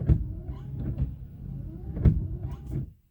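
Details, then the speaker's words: UAZ Patriot windshield wipers: motor hums with a dull thud at each stroke reversal, about every second; known UAZ issue, worn linkage pivot rivet lets the arm knock, fixed by replacing the linkage. "у УАЗов есть проблема с дворниками они стучат"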